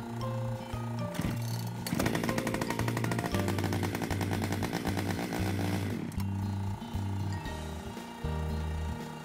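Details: Chainsaw that would not start, after air filter cleaning: engine revs hard for a few seconds, then drops back and stumbles unevenly, never settling to a steady idle; it will not idle.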